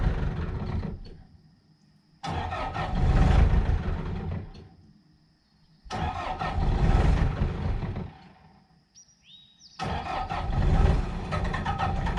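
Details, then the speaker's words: Bobcat 873 skid steer diesel, second try after fitting a new fuel filter: fires up, runs a few seconds, fades and dies three times; runs longer than before but still stalls, fuel tank suspected full of dirt and debris. "okay so we're still having the same issue but the skid steer did make it a lot longer before it died so I think we're on the right track"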